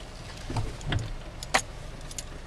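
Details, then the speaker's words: Jeep Patriot pulling out of a driveway over a storm-drain bump: a quiet cabin, a few dull knocks, then a sharp clunk; a suspension knock over bumps. "and it's sort of a knocking noise and here's the bump did you hear it"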